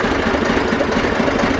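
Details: Zetor 4911 tractor diesel, stored since 2012, restarted after coolant top-up with no leak at the cylinder head, warming up: steady even clatter at settled idle, no misses or knocks; running sweetly.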